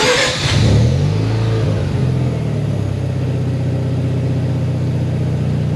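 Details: Mazda RX-7 FC3S rotary engine remote-started with a newly installed Compustar CS920-S unit: the starter cranks briefly and the engine catches within a second, then settles into a steady, even idle. No grinding, because the starter doesn't keep running; normal start and idle.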